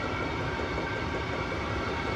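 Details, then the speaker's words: Vevor Chinese diesel heater after cleaning, running on old diesel: smooth steady roar with even low rumble, no ticking, surging or rattle; burning cleanly, running normally after cleaning. "Well, I think we've got her clean. I think we got her running good."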